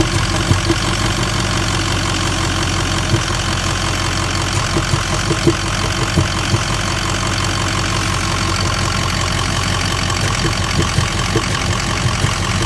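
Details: 2004 Ford 6.0 Powerstroke diesel at idle with two EGR codes, cylinder 8 misfire and cylinder 4 contribution balance codes: diesel clatter with uneven, lumpy beat and occasional stumbles, suspected misfire.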